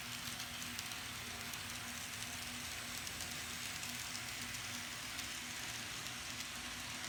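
Steady, even whirring hiss with a constant light tone and no catches or stutters; the little locomotive runs smoothly and healthily.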